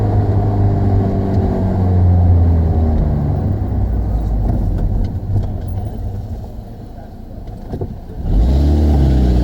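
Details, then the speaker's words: 2005 Saturn Ion with a bad exhaust flex pipe, not yet replaced, recorded by a phone outside the window: revs rise to the rev limiter and fall, with an uneven popping, sputtering, backfire-like exhaust note. "I don't know if you hear the exhaust, kind of sputtering, backfiring type noise."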